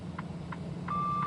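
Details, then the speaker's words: Truck side-object alert buzzer with turn signal on while merging right in traffic: short tone bursts about every third of a second, then steady high buzz, warning of a vehicle beside the truck. "If you hear that buzzing noise because my turn signal is on I have a side alert sensor that tells me there's a vehicle beside me."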